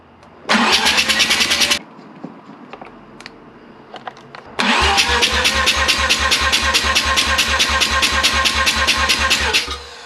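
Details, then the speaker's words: Mazda 12A rotary engine on an engine stand, cranking for a compression test: quick, evenly spaced pulses with no weak beats. Front rotor reads 98/95/95 at 280 rpm and rear rotor 92/93/89 at 284 rpm. Healthy, even compression across all faces. ">> Very healthy motor. 98 95 95 at 280 rpms. Front rotor."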